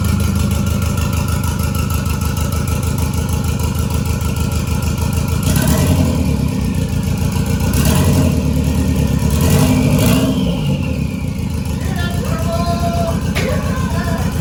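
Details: 1993 Toyota MR2 with a 3SGTE Gen5 four-cylinder build, freshly started for the first time: steady, even idle with a couple of light blips and no knocks or ticks. It sounds healthy despite a check engine light and a little smoke.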